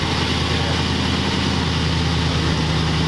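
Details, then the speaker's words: 1940 Ford convertible V8 after carburetor adjustment, carb still thought to need work: low, steady, even mellow burble at idle with no misses or knocks, normal idle. "Yeah, it's like nice mellow. I mean, what this car should sound like."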